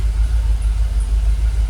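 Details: Jaguar XKR idling about 800 rpm, fuel pressure holding 45 psi: steady low even rumble with no knocks, misses or whine; engine calmed down, much smoother, no longer rocking; normal idle, no warning lights.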